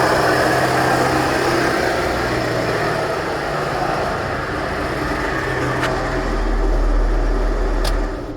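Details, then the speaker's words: 2010 Chevrolet Traverse, sat about a year: loud constant rattling whir over the idling engine, coming from the AC compressor with its clutch hanging loose, not the engine; compressor to be replaced. Failed AC compressor noise. "so thankfully that noise is coming from our air conditioning compressor not the engine"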